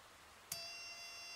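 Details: 555-based ignition coil driver running a 103 capacitor at about 3.1–3.2 kHz: a faint click, then a thin, steady, high-pitched whine with no sparking crackle. The spark gap is too wide to arc.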